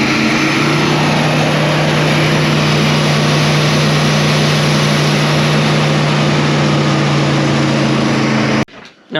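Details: S-10 truck that broke down on the freeway; after refitting the distributor cap with paste and trying the old coil, the petrol engine holds a steady, even idle with a smooth low hum and no misses or knocks; runs normally.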